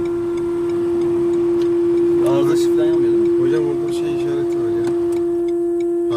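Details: Renault Kadjar Icon 1.5 EDC with R-Link 2.0: loud, steady mid-pitched buzz from the rear speakers, continuing with engine stopped; faulty multimedia unit, stopped after long-press restart of the head unit.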